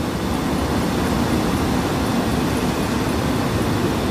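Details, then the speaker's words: 2004 Lincoln Navigator that died after leaving the freeway, found with its battery not bolted down: steady, even idle hum with no misses, knocks or surging after restarting; alternator or intermittent problem still suspected. "hey let's see if it starts up well I hope so yes that sounds beautiful Oh that is awesome"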